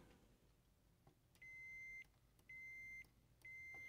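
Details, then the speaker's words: Continuity meter on the play and cue tact switches of a 2002 Zenith TBBR1352Z TV/VCR combo with smashed-in buttons: three clean half-second high beeps, one per press; switches close reliably. "and he appears to be and let's see the one next to it which is the Q up yep you're pretty good one next to it all right so in theory all the these uh tack switches are good"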